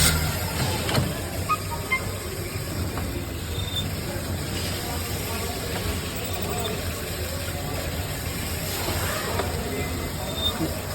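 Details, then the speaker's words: Maruti Suzuki Baleno idling with the clutch pedal pressed: faint irregular high chirps and squeaks from the gearbox side, diagnosed as the clutch release bearing. "है तो आप सुन पा रहे हो जो किच की साउंड आ रही है वो इसके क्लच न पाने पर हमें य सांड हो रही है"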